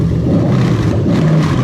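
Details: 3UZ-FE VVT-i V8 with 5-speed auto in USDM Lexus IS300 on new plug-and-play harness: deep strong note held under throttle, smooth and even without stumble or misfire; normal throttle response.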